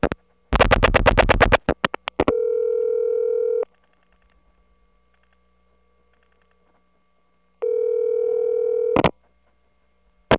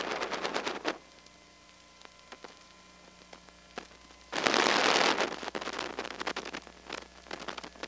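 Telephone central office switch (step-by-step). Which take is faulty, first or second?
second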